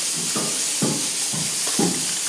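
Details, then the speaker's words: Gurgling hollow thumps, about two per second, over a steady hiss while a 5000-litre (5 m³) hot-water tank drains slowly through its purge valve before a manhole flange leak repair. Suspected air bubbles bursting inside, or cavitation. Background hiss is a boiler-room steam leak on the condensate return. "Ça les bulles d'air qui doit faire ce bruit là."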